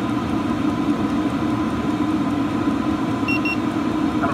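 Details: Cheap eBay 12V 5kW diesel air heater on a bench test, heard at the exhaust: steady, even rushing hum with a low drone, no surging or popping; burning cleanly at full output, normal running.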